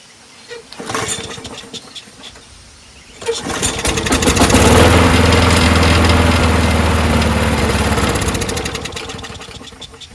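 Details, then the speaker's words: Craftsman 21in push mower, Briggs & Stratton Quantum 6.5HP primer-bulb engine, after muffler bolt fix: a few pulls, catches and runs briefly then dies; carb later cleaned twice with original base gasket. "well huh why doesn't it stay running oh God why can't it just be easy"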